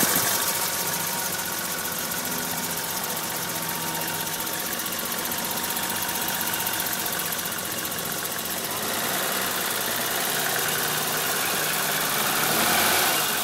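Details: BMW E30 325i idling harshly and busily with a steady tick about four times a second; blown head gasket symptom. A compression test showed all six cylinders losing pressure equally.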